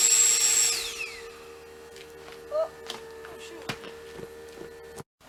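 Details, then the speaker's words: Water transfer pump filling from a barrel: steady mid-pitched motor hum with a few light ticks and no load, sounding funny as the barrel ran dry. Pump running dry. "I knew the pump sounded funny. My water ran dry in the barrel."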